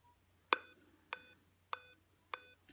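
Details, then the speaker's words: Dell notebook on power adapter, at power-on with lights flashing: four short clear beeps about 0.6 s apart in quiet room; 4-beep POST error, 99% a RAM/memory fault. "Arkadaşlar Dell marka notebooklarda 4 tane kısa bip sesi duyuyorsanız bu sorun %99 RAM ile ilgilidir."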